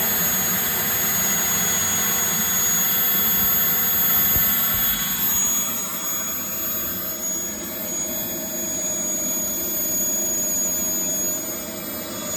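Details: Jetmunts 250XL turbine running: a steady piercing high squeal over the rushing roar, a possible bad bearing (suspected, not confirmed).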